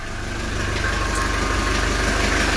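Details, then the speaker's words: 1982 Mercedes 240D diesel, cold start with good glow plugs, after valve adjustment and new return lines: fires quickly, steady even diesel clatter with regular beat, no misses or knocks, good oil pressure. "i'm just gonna go ahead and fire it up you can see how quick this engine comes live here got good glow plugs"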